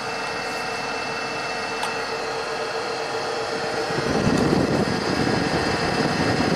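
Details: 2002 Buick LeSabre 3800 V6, 210,000 miles, after fixing the A/C clutch connector and recharging refrigerant: steady idle with an even hum, then a fuller whoosh midway as the A/C load comes on; running normally, cool day, high side about 130 PSI.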